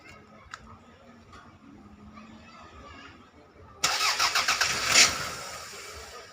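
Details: Toyota Caldina with 1AZ engine, crank-no-start for five months, after replacing a blown 20A EFI fuse: quiet stretch, then a short burst of cranking pulses and the engine catches and settles into a steady run; normal start.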